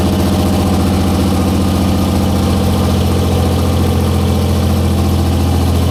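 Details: 1944 Cleveland 3-268A three-cylinder two-stroke diesel, revived, first run after fuel-delivery fix, no coolant: heavy steady chug at idle, even beat, no missing strokes; all cylinders firing, normal idle.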